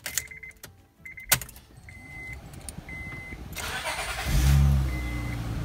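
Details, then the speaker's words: Honda Pilot 3.5L after water pump, timing belt, tensioners and idler replacement: a few chimes, then a quick start settling into a smooth, even idle with no knocks or squeals. "and it runs like nothing ever happened"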